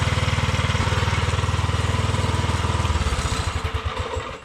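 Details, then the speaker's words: Tillotson 212-powered Rascal Lite mini bike, GoPowerSports mechanical fuel injection carburetor, performance cam, wideband O2 on test pipe: low steady single-cylinder thump that slows and fades, lazy and soft; richened to around 12:1 air-fuel, left there. "So that richened it up to around, what, 12 to 1. So I think I'll leave it right there, and I'll take it out and we'll see what it does."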